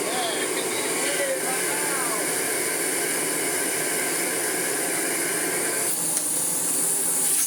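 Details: Miele Blizzard CX1 vacuum, restored and running: even, steady airy whoosh with no rattles or pitch wobble; motor runs smoothly and healthy.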